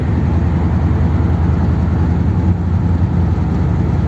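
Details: 1957 Ford Thunderbird V8 driving after original parts reinstated in place of 30-year-old modifications: uneven stumbling burble with surges, misfiring badly which it didn't used to do; owner suspects it may be flooding again.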